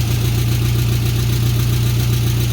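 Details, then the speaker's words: VW Beetle after replacing an oil pan broken by bottoming out, metal found in pickup: steady low idle with a fast even puffing tick and slight clatter; an exhaust leak, engine probably building oil pressure. "That's a little clattery. No. Well, I can definitely hear the exhaust leak, but I don't know with how it sounded a second ago."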